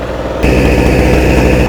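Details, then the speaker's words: Small portable generator, revived after oil poured into the combustion chamber, choke on: catches and runs with a coarse, uneven drone and wavering speed; needs adjustment to give proper voltage. Rough running. "okay well it runs it sounds like it needs some adjustment though let's see if it's putting out any power"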